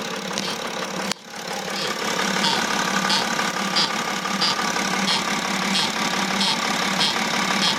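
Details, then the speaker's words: 2009 BMW X6 E71 3.0 diesel, about 259,000 km, idling: sharp high chirps about every two-thirds of a second, confirmed by stethoscope from the EGR vacuum control solenoid valve under the intake manifold. "저 밑에 흡기 매니폴드 안쪽으로 보면은 EGR을 제어해주는 솔레노이드 밸브가 하나 들어가요. 요 녀석인데 청진기를 갖다가 대놓고 저기서 들어보면은 찍찍찍찍 하는 소리가 지금 솔레노이드 밸브에서 나는 걸 확인할 수가 있어요."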